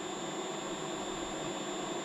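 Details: Editron permanent-magnet motor on an NX drive, starting up under I/f control before switching to sensorless closed loop: steady high-pitched drive whine over an even hiss, with no knocks or surges; running normally.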